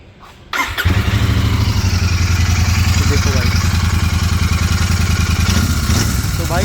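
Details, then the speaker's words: Continental GT 650 (2023) after tightening two bolts, which cured a "kat-kat" noise from the engine. It catches quickly and settles into an even, steady low beat with no clatter or ticking; normal running. "और आवाज जब बिल्कुल bike की ठीक हो चुकी है मतलब वो वाली आवाज नहीं ए रही है फटाफट करके जो ए रही थी मैं आपको एक बार स्टार्ट भी करके दिखता हूं"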